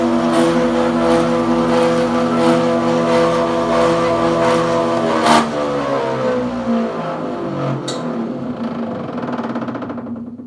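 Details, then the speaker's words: Planer jointer running, noise worse than before; belts realigned and tight, no loose screws, black material coming off inside: loud steady drone with ringing tones and faint repeating beat, pitch falling at spin-down. Abnormal running noise, cause unknown. "yeah that sound it was a lot more subtle less in the last video because you can hear it's kind of a lot worse"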